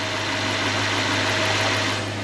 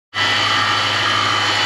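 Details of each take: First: Toyota/Lexus 3UZ-FE V8, engine still hot, after replacing idler and tensioner bearings and refitting the belt; steady smooth idle with only a faint hiss, most of the whine gone. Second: Toyota/Lexus 3UZ-FE V8, before repair; steady unpleasant high whine over an even idle from a worn accessory belt idler or tensioner bearing.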